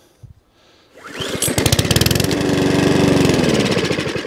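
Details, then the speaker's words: Lawn mower with tangled pull cord, started with carburettor spray down the side of the head; after a few tugs it catches and pops at a quick steady beat, then dies shortly after. "some dies put back on a carburetor spray in there so that's another one that's okay"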